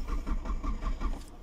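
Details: 2000 Hyundai Sonata no-start: even, fast starter cranking at about five or six pulses a second, fading out without the engine catching; cranks but won't start. Wiring, relay and fuel pump being checked; cause not confirmed.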